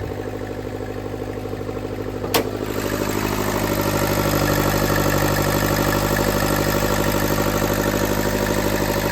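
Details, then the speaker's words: Turbocharged car that also squeals: a loud, rough, diesel-like idle with a fast, even puffing pulse that settles slightly higher; owner suspects an exhaust manifold leak or crack, possibly with a bad turbo too, unconfirmed. "I feel like it definitely has an exhaust leak is that the reason I'm squealing that's a different question but just listen to it how it sounds like a diesel right now"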